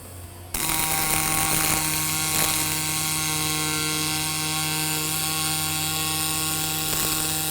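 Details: Fronius Fortis 270 pulse MIG on aluminum, about 3/4 inch standoff with lots of push: steady even arc buzz with fine crackle and constant hum; stable arc, good weld with no burn-through on the back face.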